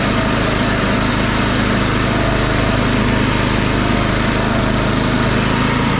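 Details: DR Field and Brush mower with Briggs & Stratton engine, after replacing the V-belt (B55/5L580): steady, even engine drone at constant speed, no knocks, slapping or belt squeal; running normally.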